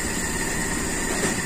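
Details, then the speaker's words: Toyota Kijang Super carburettor engine, cold: slow, mostly even idle with a faint occasional stumble, caused by idle speed set too low on the carburettor, though judged okay. "anteng ada ginal dikit ya itu karena terlalu rendahnya ini teman-eman RPM Saya memang stas terlalu rendah tapi saya anggap Oke"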